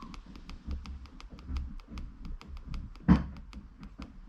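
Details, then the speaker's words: Sea-Doo iBR reverse bucket raised in IBR override mode with ignition on: steady low motor hum with light, regular ticking about six times a second as the bucket drives to the top; normal actuator operation. "bucket just rising to the top. Okay, and then kill the power and the bucket will stay there."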